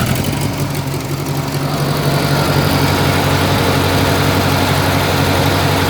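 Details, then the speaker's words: Massey Ferguson 202 diesel tractor with newly fitted alternator used as belt tensioner (not charging yet, pulley wrong): steady even idle with a low regular beat, no belt squeal or chirp; pulley not slipping and stays cool. "flying, and it doesn't get hot. So I've been checking it, let it run for a bit, and check the pulley."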